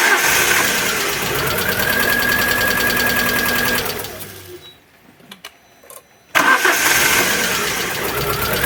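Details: Alfa Romeo 147 Twin Spark, arrived on a tow truck with misfire, very rough idle and hard starting: engine cranks and catches unevenly with a rough, lopsided beat, cuts out, then restarts rough; one cylinder seems weak, cause not yet confirmed.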